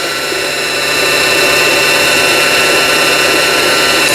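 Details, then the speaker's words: Singer 3221 (Simple) sewing machine after shuttle race hook timing repair: bobbin winding with needle disengaged, steady high motor whir at even speed, no knocking or grinding; normal bobbin winding. "자, 오른쪽으로 푸시 밀어주니까 바늘이 움직이질 않죠. 요게 이제 보빙 이제 북실을 감는 겁니다."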